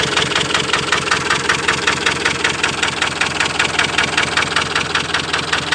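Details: Ford Transit 2.4 diesel that knocks, misfires and stalls: rough uneven idle with a steady knock of roughly two or three per second over a shaky beat; cause unclear.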